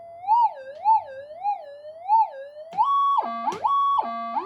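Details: Older Minelab pulse induction gold detector with upgraded high-gain electronics, in normal mode, untuned, testing detection at no gain: warbling tone sweeping up and down about twice a second, then jumping between steady pitches as the target registers; normal response.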